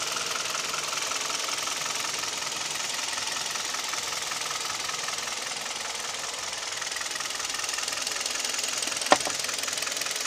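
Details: Kia/Hyundai G4KD Theta II engine at idle with piston knock and vibration. Sharp, steady metallic knocking. The knock also occurs at 1500 rpm, plus noise pulling away under load (A/C compressor and mirror, glass and seat heaters on). Cause unconfirmed.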